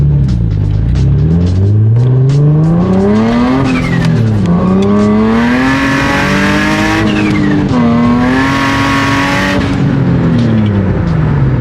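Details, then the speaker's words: Nissan 350Z Nismo with worn aftermarket Exedy stage 2 clutch and lightweight flywheel, under acceleration: engine note flares and hangs high faster than the car pulls, possible flame; clutch slipping, not grabbing, before replacement. "but as you guys can hear like it's just not it's not really like grabbing like the car is quick for what it is but it's not uh yeah clutch isn't grabbing"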